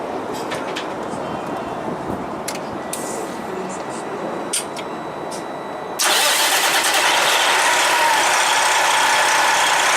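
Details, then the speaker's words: Truck after re-torquing loose U-bolts (loosened after an alignment) and checking the shock: engine starts into a loud, steady hiss-heavy run, squeak under the hood gone. "Looking good, so we solved the problem. We just tied the U-bolts."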